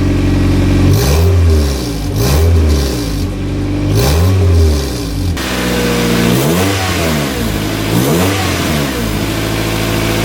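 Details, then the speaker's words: Petrol car engine blipped through repeated short revs after new exhaust gaskets are fitted, with some smoke from the new gaskets. The exhaust note is clean and even, with no leak ticking and much better than before the repair. No exhaust leak. "I think it sounds a lot better than when I first pulled it in here obviously it's gonna smoke a little bit from here because of the new gaskets and all that but I'm gonna let it run for a little bit and just to let everything kind of set but I don't hear any exhaust leaks"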